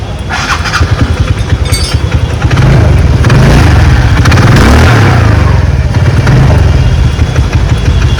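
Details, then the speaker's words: TVS Ntorq scooter just after engine work with a new timing chain, tensioner, gaskets and engine oil. It fires up and settles into a steady putter with a couple of blips; the earlier noise is completely gone, normal idle. "आवाज बिल्कुल खत्म हो गई है।"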